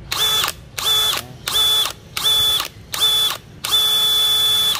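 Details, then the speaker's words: DeWalt DCK299P2 rotary hammer drill at top speed: short bursts of high motor whine with a clacking edge, the clutch clacking from speed mismatch between chuck and motor; normal. "nh chạy cắt ngang mình Nhã toàn là đột ngột nghe tiếng cạch cạch đó là do cái sự không đồng bộ tốc độ xoay giữa cái đầu khai trên đây và cái motor"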